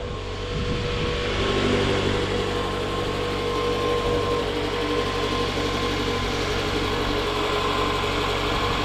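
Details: 2014 Scion xB, 102,000 miles, just after replacing coil packs and spark plugs: starts right up into a steady, even idle with a smooth low hum, no misfire stumble or ticking.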